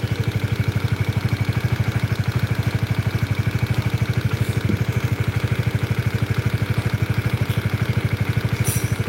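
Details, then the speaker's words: Honda CBR double-overhead-cam engine, warm, at steady idle: sharp, even clacking about three per second, heard from the middle of the engine. It is too consistent to match the uneven camshaft noise the mechanic knows; cause not yet found, engine to be opened. Knocking noise at idle. "itu kalau ini ajet stabil ya suaranya itu stabil banget"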